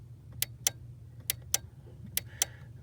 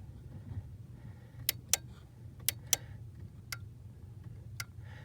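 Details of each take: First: Ford 1998-04 F-150/Mustang/Taurus/Expedition power door lock module with its output plug disconnected: the lock switch is toggled and the relay gives sharp, crisp clicks in three quick pairs, a healthy relay making good contact, unlike the failing lock relay. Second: Ford 1998-04 power door lock module, output plug disconnected, input connected: on lock, the relay clicks are weak, some paired and some faint, with no crisp contact, unlike unlock; the lock relay is weak.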